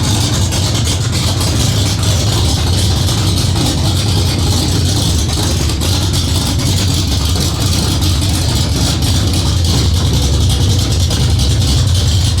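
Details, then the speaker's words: Cammed Ford 351W V8 first start, after ~10-minute cam break-in and distributor/timing fight resolved: deep steady idle with faint rhythmic cam lope, smooth; healthy cammed idle, great throttle response. "Well, she sounds good. I like the way she sounds. Great throttle response."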